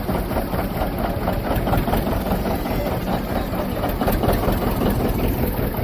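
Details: John Deere 730 diesel two-cylinder tractor, first belt start in 8 years after water pump rebuild; slow, lopey, even beat with deep exhaust thump, no knocks or rattles; normal running.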